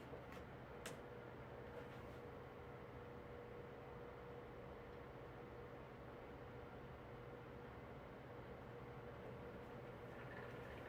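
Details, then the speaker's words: 9-inch Galaxy amber oscillating fan: a quiet, steady low hum under the airflow with no clean smooth spin, and the motor speeds up and slows down while oscillating. The motor bearings are dry and need oil. "again the seller failed to tell me that the bearings need oil so it has that problem when it's oscillating that the motor speeds up and slow slow down"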